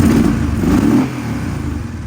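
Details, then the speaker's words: Kawasaki KFX700 ATV V-twin after fixing a short (dead battery, fuse shimmed with wire); earlier it was not firing on the front cylinder. A crisp rev blip settles to a smooth, even idle with no misfire: normal running. "yeah it ain't shorten no more that's beautiful that's a lot different"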